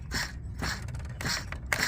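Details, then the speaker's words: C7 Audi A6 3.0T, serpentine-belt pulleys spun by hand during a crank pulley install: each spin gives a short, dry, gritty rasp. The owner suspects the bearings are drying out and plans to replace the pulleys. Noisy pulley bearing. "it sounds like the bearings are drying out on the inside so probably some point in the near future they're gonna go bad end up shredding the belt or something"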